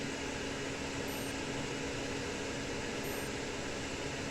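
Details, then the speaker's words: Epson 1390-based UV printer with burned motherboard, heard near motherboard: two short high beeps about two seconds apart over steady fan hiss, beeps with pauses indicating motherboard fault; motherboard fault beep code. "if you hear a short beep and and uh in between the beeps there's pauses let's say three seconds I think or two seconds maybe that's the problem with the motherboard"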